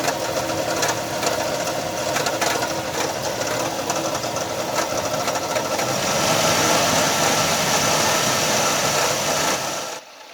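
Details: Nissan Frontier 3.3 V6 idling: loud, rough whirring and rattly hum; owner first suspected timing belt, but it was just a worn alternator bearing, fixed cheaply.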